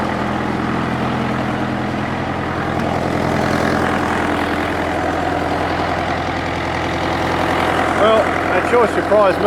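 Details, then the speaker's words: International Harvester 554 diesel tractor just started on ether after about five years sitting: deep, steady chug about 150 beats a minute with intake rush from the uncovered air filter; idles evenly, runs clean, starting to smoke a bit. "it's running pretty clean starting to starting to Chum a bit out now but it's just magnificent it sounds great I've got the cover off the air Fielder"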